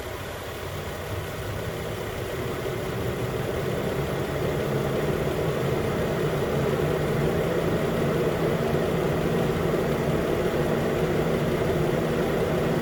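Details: 2013 Nissan Pathfinder 4WD at 265k miles, idling after AC compressor clutch and serpentine belt replacement: smooth steady idle settling slightly after start, no squeal, chirp or rattle from belt or compressor clutch; normal idle.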